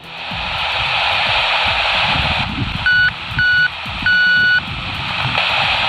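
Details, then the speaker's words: Vintage 1970s AM American CB walkie-talkie, repaired and field-tested outdoors. Three short, steady high beeps come through over the open-channel hiss when the white button is pressed. The call tone works normally. "Okay, try pressing the white button to make it beep."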